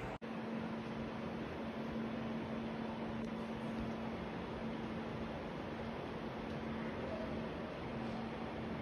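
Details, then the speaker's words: New Croma-bought AC indoor unit, which made loud "far far" noise and stopped cooling after 10 days, after blower replacement: steady smooth airflow hum, no flapping or rattling. Normal running, fixed. "तो देख सकते हो इन्होंने AC लगा दिया है पूरा, और अब जो ब्लोअर लग गया है ठीक हो गया।"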